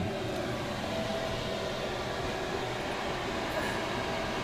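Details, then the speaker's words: Chinese diesel air heater installed in a motorhome, running at 4.9–5 Hz pump rate, about 8 °C outside: a steady, even combustion roar with smooth fan rush, no pulsing or rattles. Normal running. "Well, we're running very nice there. We're running 4.9, running 5 hertz."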